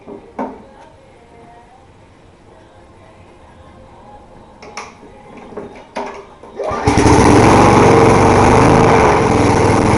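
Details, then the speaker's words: Small 3.5 hp lawn mower engine with rotten deck, primed and pull-started: a few pulls and clunks, then catches and holds a steady, even high-speed drone; slow to start but runs properly once going. "there you go this thing um runs pretty good so it takes a while to start start up and get it running properly"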